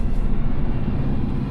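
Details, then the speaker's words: New truck and trailer after replacing leaking trailer brake chambers and refitting airlines correctly, no ABS warnings: even, low truck rumble rolling along with no scraping or dragging; trailer brakes releasing freely. "No draggy brakes. I don't think anywhere."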